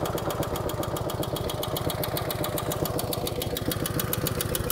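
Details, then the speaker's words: 1949 Harley-Davidson FL Panhead shortly after a cold start, with a loping idle and fast crisp ticking from the rear cylinder valve train. The ticking is reducing as oil reaches the top end; the pushrods need adjusting. "bit of tapping noise out of the rear cylinder actually this noise is starting to reduce something's getting some oil up in the top in now"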